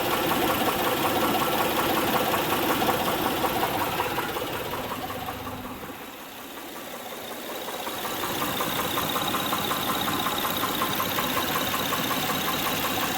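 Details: 2006 Honda Pilot 3.5L V6 at idle: sharp, even ticking knock about 160 a minute from the top end; valve cover removed, a camshaft lobe found defective after spark plugs, timing belt tensioner and injectors ruled out.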